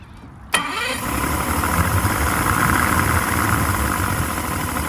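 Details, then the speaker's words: 2006 Yamaha 150 TXR two-stroke outboard after a hard run, primer bulb still hard, idling at about 800 rpm after earlier being 1,000. Restarted after dying, it catches sharply, revs briefly, then putters into a rough, uneven idle and stalls again. "it kind of revs up a little bit right when you start it after it's died, and then it just putters out again."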